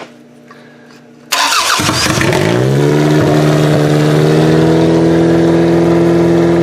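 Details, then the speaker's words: 2001 Camry engine swapped into a 1994 Camry wagon derby car, first run of a used ex-derby motor: sharp start, revs up to a steady loud slightly rough drone; owner cites massive vacuum leaks, possible fuel leaks, suspects blown head gaskets. "okay so it runs but there's just a couple of things we've got some massive vacuum leaks I think we've still got some massive fuel leaks as well to be honest"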